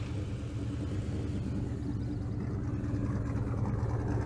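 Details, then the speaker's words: Ford Mustang started for the first time after sitting 8 months, with prior motor problems and a freshly charged battery: a deep, lumpy idle that stumbles unevenly. It is not a cam lope but a bad misfire at idle. "You got a cam in this thing? That ain't no cam, that's just a bad misfire."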